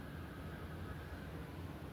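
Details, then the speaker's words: Hampton Bay Palm Beach ceiling fans, two running on high (back one has a repaired blade): steady low drone with a faint thin tone above it, no pitch change; one fan motor hums, unknown which. "High and high. Ooh, I got a hum from one of them. I don't know which one hummed like that."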